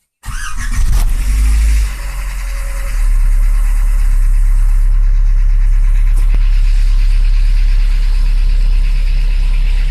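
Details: Skoda Fabia 1 1.4i 8-valve engine started after a valve cover gasket replacement for an oil leak: catches quickly, flares briefly, then settles into a steady, even idle with no valve ticking or tapping.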